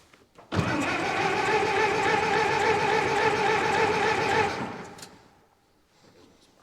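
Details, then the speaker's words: 1924 Ford Model T being started for the first time after sitting for years. About four seconds of steady cranking at roughly three to four turns per second with no firing, then silence; the engine is flooded. "might be flooded though all right spark plugs are a 15 16. oh yeah yeah that's flooded"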